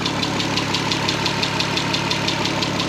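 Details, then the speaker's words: VW R32 first start after 10 years sitting and a redone timing chain: light, even tick about three times a second over a smooth idle; owner thinks it may need adjusting, source unconfirmed. "Not just uh doing like what I was doing like an idiot, but man a slight ticking"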